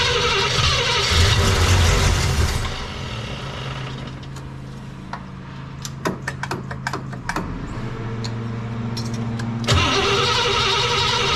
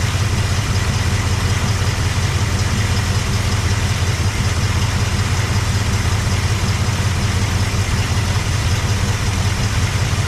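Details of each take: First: Cadillac 390 V8, only a little fuel poured in bowls: starter churns, pauses, spins again, never catches; owner suspects carb not getting fuel yet, plans starting fluid until fuel pulls up. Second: Cadillac 390 V8 with a swapped-in Edelbrock carb replacing the 4GC, glitter found in engine oil: deep, steady idle, no knocks, ticks or misses; oil pressure about 20–27, oil looks terrible; normal idle.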